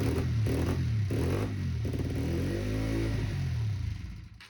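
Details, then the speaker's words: Honda CBR 125 motorcycle on its first starts after being taken out of the garage, with very little or no oil: coughs and revs unevenly, struggles to rev, won't hold idle and stalls within seconds; cause unclear. "Et ça y est, on a enfin les quelques premiers démarrages, mais on voit bien qu'il y a un gros souci. Elle cale de suite, elle ne monte mal dans les tours et en plus de ça elle ne tient pas le ralenti."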